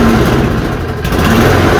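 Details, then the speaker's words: Toro push mower running after reassembly with the air filter box reinstalled: the note rises and sags every couple of seconds as the automatic choke flaps open and shut, making it hunt. Owner guesses a dirty tube. The finding is surging from choke cycling. "yeah open and shutting open and shutting every time the fan lights off"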